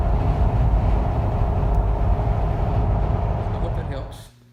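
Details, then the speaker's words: 2013 Jeep Wrangler JKU with LED light bar after fitting a strip along the protruding fins: steady low road and wind rumble while driving, no whistle; whistle fixed. "It's sticking out a little bit, but yep, no more whistling noise. Everything's good to go."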